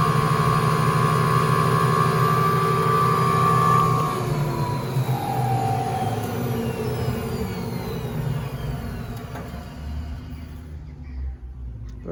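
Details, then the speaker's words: 1958 Hoovermatic 3174 twin tub washing machine, spinner after lubrication: motor hums at steady speed, then the drum coasts down with a falling tone and no squeak; normal spin run. "it doesn't seem to be squeaky now so let's have a little switch on"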